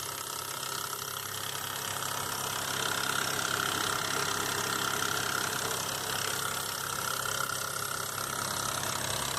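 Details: 2005 Nissan Xterra VQ40DE at idle: fast, even light tapping rattle, three or four a second; timing chain slapping, believed from a hook not riding on the tensioner; gone after replacing chains, guides and all three tensioners.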